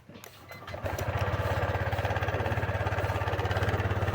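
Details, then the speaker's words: Scooter (Honda Click or Yamaha Mio i) after cleaning a connector where wiring had shorted and blown a fuse, battery 13.2 V: catches after a brief crank and settles into an even, steady idle, no check-engine light; charging 14.3 V. "So paandarin natin ngayon kung andar na. Yan. So walang check engine."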